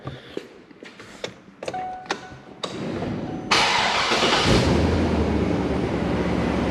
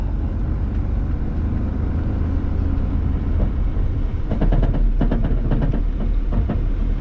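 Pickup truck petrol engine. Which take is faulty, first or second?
second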